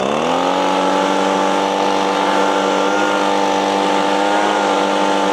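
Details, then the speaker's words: Echo PB-250LN handheld two-stroke leaf blower, 6 years old, warmed up at full throttle before an air filter replacement: lifts briefly, then holds one flat buzzing pitch, so it will not rev out. "All right. It's just not getting over that peak where the RPMs are kicking in and where two stroke two-stroke engines shine where they rev out. It's just not doing it."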